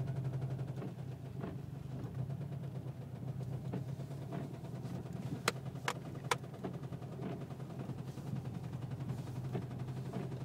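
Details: 2009 Subaru WRX idling after it ran out of oil and spun a bearing: a steady, deep, repeating knock from the connecting rod bearing. Rod knock.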